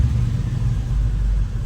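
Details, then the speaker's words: V8 engine after a fuel-line flush and battery reconnect (it had been running rich, spitting raw fuel from the tailpipe): deep, steady idle rumble with an even beat, no misses, knocks or stumbles. Sounds good; normal idle, codes not yet scanned. "I mean, I haven't turned the scanner on to see if we have any codes, but it sounds good."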